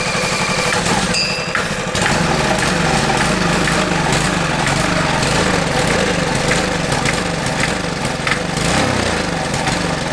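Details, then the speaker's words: $50 Marketplace minibike single-cylinder engine, stored five years, first start after fitting a spark plug: continuous raspy, chuffing exhaust sounding like it's blowing out, no knocking underneath; loud blowing exhaust note, engine judged good. "I know it sounds like it's blowing out"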